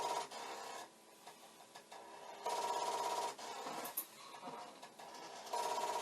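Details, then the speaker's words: Commodore 1541 C64 disk drive head repeatedly banging its stop in buzzing bursts, about three a second, never settling; the drive fails to read and the light never starts flashing. "see what it should do if it suddenly decides it's okay is the light should just start flashing and the head banging should stop but it is not happening"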